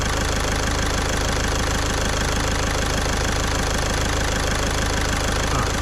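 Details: Caddy diesel after a week-long repair in which a stuck injector was removed with a slide-hammer puller kit: even, steady idle clatter at about four beats a second, no misses or stray knocks, nice and quiet. Normal idle.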